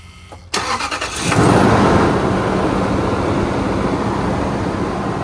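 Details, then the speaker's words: Toyota/Lexus 1UZ-FE/2UZ-FE V8 after drive belt tensioner pulley bearing replacement, cold start: quick clean catch then steady fast idle under an even whooshing secondary air (SAS) pump, which then shuts off; normal. "SAS pump is gonna shut off now. Oh, it's off now. Now you guys can hear the engine."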